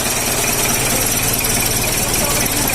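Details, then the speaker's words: Isuzu Panther 2.3 diesel idling with an uneven, thumping knock instead of an even, consistent clatter, from injection timing mismatched to compression; the aim of the tune-up is a smooth, even diesel sound. "Ya. Klak, klak, klak, sulit. Lihat, kan? Ya. Kluk, kluk, kluk, gedebuk."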